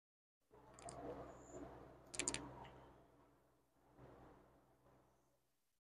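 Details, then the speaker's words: Lapping valves by hand on a rebuilt 1976 Porsche 912E Type 4 2.0 head (cylinder two): short scratchy rasping strokes as the valve twists on its seat; the tone should grow quieter as it mates. Coarse early lapping, seat not yet mated. "and as you do this it starts to hear and get quieter and quieter and that's what you're after you're after that tone"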